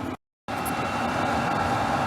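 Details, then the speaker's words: Diesel heater newly installed in an RV (backup to a 1994 propane furnace), 12-volt, pump frequency likely turned all the way up, blowing hot air: steady roaring rush like a rocket ship starting, faint even whine, no knocks or sputter; normal full-output running. "That's hot air. This thing sounds like a rocket ship starting."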